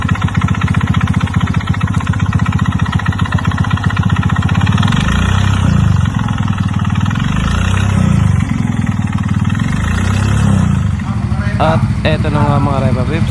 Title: KNOCKING SOUND